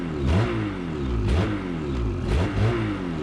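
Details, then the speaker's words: New 2019 Ski-Doo MXZ Blizzard 600R E-TEC two-stroke, recorded on a GoPro mic: throttle blipped about once a second, pitch snaps up and drops back cleanly; normal free revving. "here that windshield vibrating maybe I will go away once it gets broken in how fast this thing crept up incredible high-revving fast revving engine"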